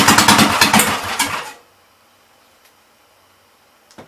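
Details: 1944 L tractor briefly running on carb cleaner near idle: rough, uneven popping and crackling bursts for about a second and a half, then it dies as it runs out of fuel.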